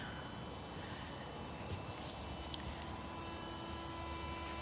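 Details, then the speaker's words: Mercedes SLK R170 that won't start, battery just reconnected with ignition off: a faint steady whir as the boost-pressure flap actuator runs as if the power were on. All warning lights glow dimly and the cluster shows start error; fixed by replacing the light switch. "Tää alkaa surisemaan tää ahtopaineen säätöläppä aivan ku meillä olis virta käännetty päälle tuolta"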